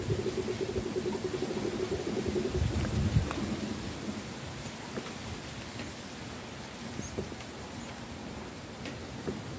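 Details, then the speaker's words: Volvo P2 with a new power steering pump fitted after a failed serpentine belt, reservoir filled with CHF 11S slightly above the mark: soft, irregular gurgling pops as air bubbles up through the reservoir while the pump primes; normal priming. "Okay, so that's filled up to about here, which is slightly above the fill level. But as soon as I put that down, you hear that bubbling."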